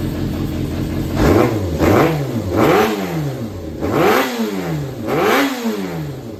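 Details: Yamaha XJR400 (4HM) engine assembly, high compression, no abnormal noise or white smoke: crisp blips rise and fall cleanly, about five revs in six seconds, smooth return to idle with no knock; healthy engine revving.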